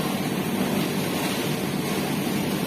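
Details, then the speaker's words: Kouyi NSK-375-2C injection molding machine hydraulic pump started after replacing bottom mold press pressure switch: steady rushing hum with low drone, no knocks, surging or squeal; presses work and PLC confirms pressure switch normal. "Oke, kita coba. Kita nyalakan. Komponya kita hidupkan."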